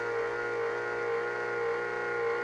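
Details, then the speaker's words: Kaypro 2X computer powered on: loud steady whine with slightly wavering tone from the worn cooling fan, which needs replacing. "Oh, I gotta replace that fan, that's for sure."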